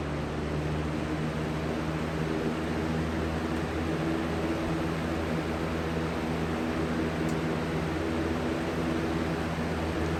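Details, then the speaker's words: 20-inch Lakewood/Holmes box fan replacement with open bearing: steady even whoosh with low constant hum and faint rhythmic wobble; runs fine, only slightly out of balance, no noise like the previous fan. "it's out of balance a little bit but it's not that big it's not as bad as the other one the other one was terrible it's not making that ridiculous stupid noise either thank god"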